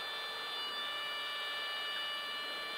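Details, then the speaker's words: Light airplane flying straight and level, holding altitude at slow speed around 75 near the critical angle of attack; the stall warning horn sounds continuously while flaps 10 are added. "so now we're flying straight with the stall warning horn going off easy yeah good"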